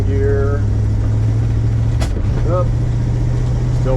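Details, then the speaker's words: 1977 Dodge Adventurer driving under load in second gear after fuel line rerouted: low steady drone then a sharp pop, backfiring through the carburetor; owner suspects lean condition from clogged carburetor, not confirmed. "back through the carburetor pop pop pop pop normally that means a lean condition so maybe the carburetor has gotten clogged up"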